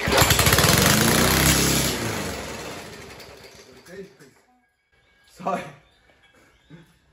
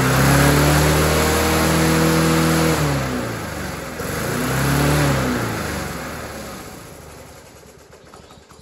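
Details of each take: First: Roadside-found Rover 4-stroke mower after priming, throttle raised: loud ragged uneven firing that surges, then dies within three seconds as the muffler blows off; lean stumble from carburetor intake air leak. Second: Dumped Rover 4-stroke mower after the carburetor was reattached, the throttle cable sorted and a new air filter fitted, then primed. It catches straight away, holds an even note, picks up cleanly and spins down smoothly: normal running.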